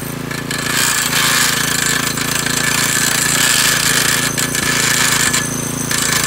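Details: McClane 3.5hp edger with Briggs & Stratton engine, revived after years sitting with a carburetor tune-up, oil change and fresh fuel, started cold. A fast, steady buzz while the blade chatters along the edge. It pulls evenly without surging or dying and cuts a nice line.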